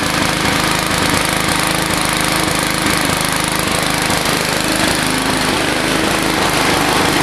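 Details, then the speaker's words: Old Gillson mower with a 3.5 hp Briggs & Stratton engine, possibly around 1971. It backfired earlier and runs again after the spark plug was cleaned. Fast, uneven, lumpy running that wanders; it idles very slow but shuts off. Rough running, cause unconfirmed. "I can make it idle really slow, but um she uh she shuts off."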